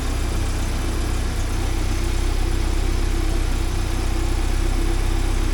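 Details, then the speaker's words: 1979 Porsche 924, just started first try, warming up while checking for overheating: deep, steady, smooth idle with no misses or knocks; fuel pumps are a bit noisy on these. "sure sounds [Music] smooth fuel pumps are a little noisy on these [Music] things"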